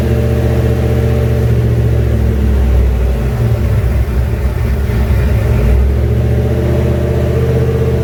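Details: Junkyard 351W turbo V8 in a 1967 Mustang, first fire-up, exhaust exiting off the fender; deep lumpy burble with uneven firing and a few lazy throttle blips, rough idle and revving, needs a tune.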